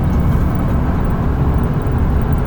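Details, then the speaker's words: 2004 Ford Econoline E-350 SD XLT mobility van, 98,070 miles, cruising about 65 mph on cruise control: steady deep drone with smooth road rumble, no knocks, whines or vibration; normal highway cruise. "Very nice running down the highway. You got the cruise control set, cruise works good. No unusual vibration or noise,"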